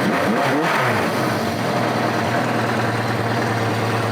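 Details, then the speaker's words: Four-cylinder motorcycle right after carburetor sync with a digital gauge, cylinders reading 57, 56, 56, 56: quick throttle blip, revs drop straight back to a steady even idle with no hunting; smooth, well-balanced idle. "that's about perfect for me you can hear how happy the bike is it comes right back to a smooth"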